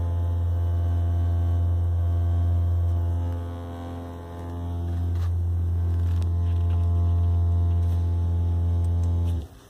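Steady low-pitched drone holding one pitch, dipping slightly midway, then cutting off abruptly; an unexplained hum from the car.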